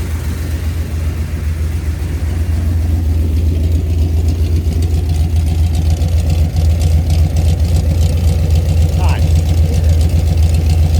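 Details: Mopar 383 V8 on a roller cam and lifters after repeated flat tappet lifter failures, mufflers off, about 900 rpm idle: loud, deep, even burble through open pipes with a steady lope. No ticking or knocking, healthy mild street cam.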